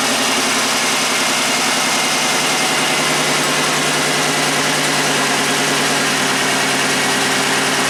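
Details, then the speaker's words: 1990 Buick Regal GS V6 with severe low power and low intake vacuum, idling: lumpy, uneven pulse with one beat dropping out each cycle; cylinder number five dead from a non-firing injector. "it's better I bet now it's just number five it's not contributing"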